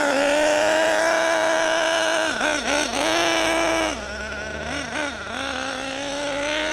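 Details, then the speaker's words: HPI Savage GT6 nitro RC engine, new and running in: high even buzz holds steady, dips cleanly on throttle blips and recovers without stumbling; normal running. "sounded really good. I say that was lovely."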